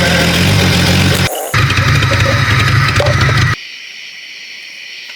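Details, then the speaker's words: Jeep Cherokee 4.0 after a four-month field rebuild, first start-up: engine fires and runs steadily with a brief dip, then cuts out abruptly; stalls after starting, and both batteries are suspected dead. "It quit running. >> Huh? >> It quit. >> Quit recording or running? >> Running."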